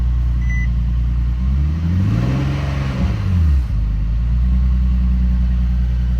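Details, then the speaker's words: Infiniti G37/370Z 3.7 L V6 that went off timing over 100,000 miles from neglected oil changes. It starts again after repair but runs poorly: a steady low drone whose pitch wavers and bends. Owner says it needs a new engine. "so mine starts now but it runs poorly so it needs a new engine"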